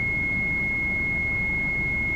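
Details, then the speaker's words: Mitsubishi Shogun, probably a 2004 and probably a 3.0 or 3.2 diesel, at idle with almost no brakes and ABS and brake lights on; a constant high warning tone drones over the engine. The HBB brake booster pump motor is found to have a worn commutator. "but I'm gonna start the engine so this is the noise and those lights ABS light there is and brake light that's my problems okay"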